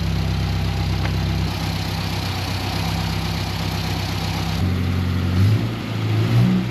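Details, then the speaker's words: 1961 Mk1 MG Midget roadster, 63 years old and sat 54 years, running on its intake with gunk burning off: even low idle that picks up cleanly on throttle blips, no misses or knocks; mild smoke, oil clean, runs really well. "It runs and it actually runs really, really well."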